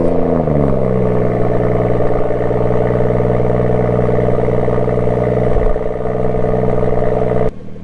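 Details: BMW M140i at idle; fires and settles into a smooth, even idle with no rattle or buzz from the exhaust.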